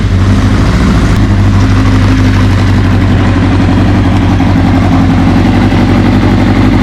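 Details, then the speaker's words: 1981 Kawasaki KZ750 LTD inline-four idling while warming up after a manual cam chain tensioner replaced the OEM automatic one: smooth, even idle with a steady low hum and no ticking or tapping; cam chain quiet, normal idle. "sounds better all right so going to let it warm up I really don't hear anything"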